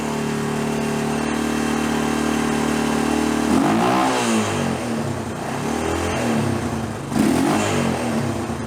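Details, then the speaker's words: Hard-ridden Honda TRX350 Rancher ATV that smokes and burns oil, engine previously opened with silicone on cylinder: uneven single-cylinder idle then revs with loose metallic clatter on top; air filter suggests it needs a top end. "So I do feel like I may know where the oil is going. Yeah. This thing's kind of beat. I'm going to guess the looks of this air filter right here, this thing needs a top end."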